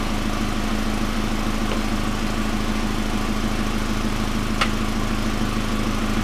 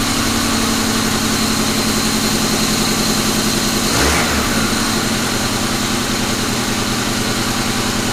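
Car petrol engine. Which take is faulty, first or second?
second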